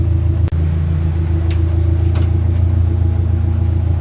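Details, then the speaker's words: Dodge Neon stock car warming up after cooling fan repair, gauge around 100, under 150 degrees, fan not yet on: steady, even low idle, smooth rhythm, no knocks or misses; normal warm idle. "You can see here we're just at around 100, not even 150 degrees. So it'll be a while before she gets warm enough for the fan to come on."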